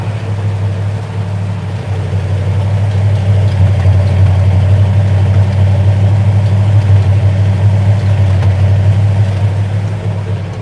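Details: 1970 Dodge Challenger V8 on its first start after winter, cranked to prime fuel and oil: deep, steady burble settling into an even idle with no tapping or misfire; a healthy cold start.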